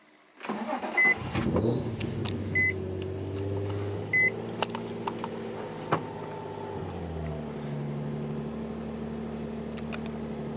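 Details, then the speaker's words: Turbocharged low-compression engine, with the throttle body swapped back to the stock intake manifold after a randomly high idle: fires under chime beeps, holds a raised even cold-start idle around 1300-1400 rpm, then eases down; normal cold fast idle. "it idles a little bit high anyway when you're first starting the car because uh you know cold start and all that but let's see"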